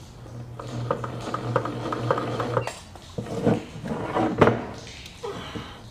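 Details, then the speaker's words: Singer Stylist 814 sewing machine from junk pile, needing oiling: steady low motor hum with light, evenly spaced ticking; unusual running noise, owner suspects plastic stack cam, not confirmed. "run I don't know what that noise is I uh there's a plastic stack cam under the stack maybe that's"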